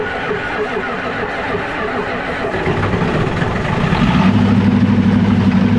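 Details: Old Ford diesel cold-started without glow plugs, using starting spray: clatter builds as it catches and warms, then a steadier, louder idle holding an even beat. Normal running after the start.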